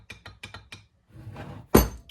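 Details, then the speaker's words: Classic Mini radius arm, reconditioned, dry-built without grease after flushing, rocked by hand: a handful of sharp metallic clunks, about five a second. Arm is a little stiff, possibly because bone dry, but has too much backlash, which needs measuring. "Now this one is a little bit stiff, but it's got a lot of backlash. I'm wondering why it's so stiff, but could just be because it's bone dry."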